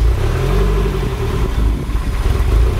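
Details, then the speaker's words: MR2 Turbo just started on a newly installed Link G4X plug-and-play ECU, untuned: a loud low idle that surges and dips unevenly. Rough idle from the untuned base map; it needs tuning. "it's started pretty good let's go check the run time values alright it is idling pretty rough but"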